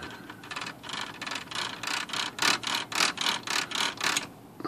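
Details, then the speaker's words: Smith Corona typewriter, no-silencer model, before repair: rapid rattling ratchet bursts about three per second as the carriage steps, loud escapement chatter; grinding possibly from power spacer part sitting out of home position and rubbing when let down. "okay let's look at that grinding noise here think that's gonna be returns I sure like that to have a silencer on it"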